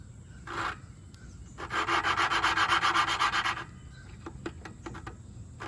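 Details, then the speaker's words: Hand lapping a valve into its seat on a 2011 Toro 22-inch Recycler's Briggs & Stratton 190cc Quantum engine with lapping compound; rhythmic gritty rubbing whose pitch changes as the valve finds good seat contact. "So, you can kind of hear the pitch change, and I think that's what you want to hear. That's the uh the valve finding a good contact surface with the seat."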